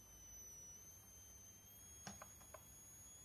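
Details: YH11087A 5A MPPT solar charge regulator fed by a 60 Wp panel into a 12 V 55 W H7 bulb load, 12 V output. As the output current limit is raised from ~0.77 A, a steady ~7 kHz coil whine sounds with faint clicks.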